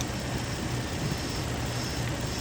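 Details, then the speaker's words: 2003 Infiniti G35 after coolant crossover pipe and spark plug work: a vacuum-leak hiss at the PCV valve disappears after tightening the valve, leaving a steady smooth idle. The O-ring is suspected; this is normal idle after the fix. "So I do not hear the noise with this plugged off. Okay, I'm just tightening up the PCV valve a little bit. Voila, the noise is gone."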